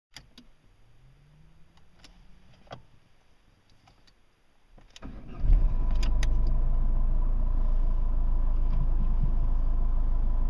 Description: Ford Focus Mk1 TDDI 1.8 Strange engine sound - it was a faulty clutch inside the A/C's compressor